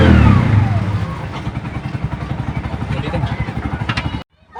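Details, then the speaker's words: Bajaj RE three-wheeler that wouldn't start with no MIL/check engine light, after fuse box fault fixed: revving blip settles to an even steady putter about four beats a second; normal running after repair. "So okay na yung unit ni customer no so umandar na so ang naging problema I fuse box lang"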